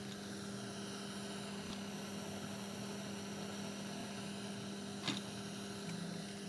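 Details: Ilet 102-1 tape recorder power amplifier at rest, no signal, after replacing four transistors (815 to 817) in one channel: steady hiss with low hum in the unserviced channel, independent of volume and balance.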